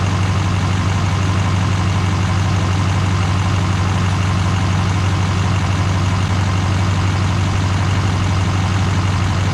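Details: GM LMM Duramax diesel truck after engine replacement and reassembly: steady, even low clatter at idle, about two pulses a second, no knocks or misses; healthy smooth diesel idle.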